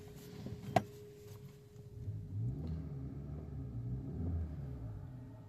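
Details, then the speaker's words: Maruti Dzire BS6 petrol engine revving and settling with an even, steady rumble, no stumble, after repairing rat-chewed cylinder 1 and 2 injector wiring and clearing the injector circuit codes. No DTC, no misfire. "ठीक है। कोई DTC नहीं है। Engine M fire नहीं है।"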